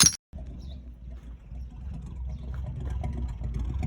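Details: 1970 Chevrolet truck revived after sitting in a barn 20+ years: low, steady V8 rumble at idle with no misses, knocks or stumbles; engine running smoothly.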